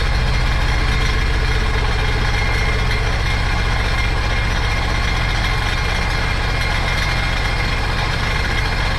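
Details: Supercharged 2009 Sea-Doo GTX 215 jet ski bought with a locked-up motor, run on the hose after revival: lumpy idle with an uneven stumbling beat about three per second. Cylinder 3 misfire from a cracked ignition coil.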